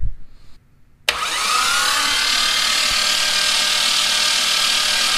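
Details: Rebuilt forged twin-turbo Mitsubishi 3000GT VR4 6G72 oil priming on the starter, fourth battery, about half an hour of cranking: short pause, then steady high whir with no compression pulses, engine turning freely.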